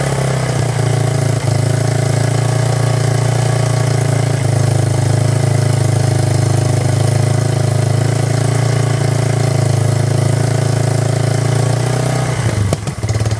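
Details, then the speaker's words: 1999 Yamaha Bear Tracker ATV single-cylinder, after new in-spec pickup coil restored spark: catches and runs with a deep low thrum about twelve seconds then dies; rough idle, owner thinks carburetor and idle speed need adjusting. "I just need to, sounds like I just need to adjust the carburetor and the idle speed and all that good stuff, which is pretty easy."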